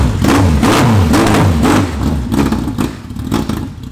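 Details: Motorcycle-engined racecar being modified to drift: the engine revs unevenly in stumbling bursts, about four per second, never settling into a clean rhythm. It runs rough after a cleanup job and is worse than before; the cause is unclear.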